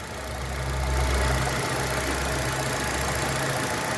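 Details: 2016 Citroën C3 1.5 at 69,000 km, after the engine noise was fixed with no valve adjustment needed: a quiet, smooth idle with an even low hum and no ticking or knocking. Normal idle.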